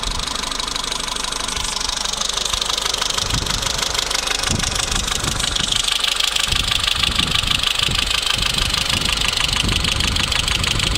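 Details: Renault Megane 2 1.4 16-valve at idle; a quick, light ticking at about three per second rides over the steady idle. The hydraulic lifters are clattering, before the fix.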